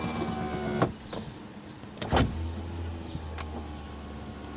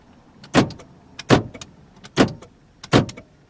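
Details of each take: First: 1987 Toyota Camry LE with power windows, engine off: two short motor runs with a steady low whir and a clunk at each end of travel. The power window is a bit noisy but works. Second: Power door locks on a 1987 Toyota Camry LE (4-cylinder, automatic) give four crisp, solid clunks about a second apart, each with a short rattle, the actuators working normally.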